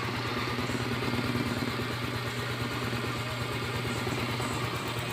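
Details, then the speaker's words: Yamaha Mio Soul i 125S scooter, four years old, reassembled after engine teardown for a morning cold-start ticking noise: steady, even idle with a soft regular putter, no knock or rattle; the noise is gone. "bale wala na yung tunog niya tahimik na siya Okay na siya"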